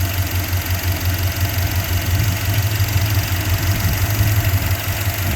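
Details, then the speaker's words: 1989 Jeep Grand Wagoneer, freshly rebuilt AMC 360 V8 with Holley 2300 EFI fuel injection, 136,949 miles, hood raised: smooth, even, very quiet low-rumble idle with no ticks or knocks. Normal idle. "And this engine's very quiet."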